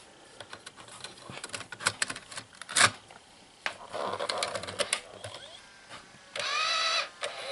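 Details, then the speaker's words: JVC GR-AXM100U VHS-C camcorder loading a VHS Compact cassette after opening the door: small clicks and clacks then steady motor whir; this sound is normal. "Ese sonido es normal."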